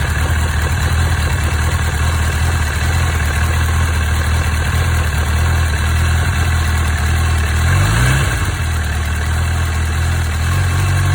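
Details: Honda CB1000R four-cylinder motorcycle idling on high-octane petrol: light, fairly irregular ticking over the deep engine hum; owner asks what causes it, cause unknown.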